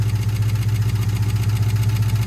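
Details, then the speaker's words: 1971 International truck sitting for 30 years, at idle: quieted briefly then noisy again, a fast light ticking of many lifters clicking over an even idle; lifter tick at idle. "all right so unfortunately the motor is it got quieter for a little bit and now it's kind of got noisy again you can hear a lot of the lifters clicking"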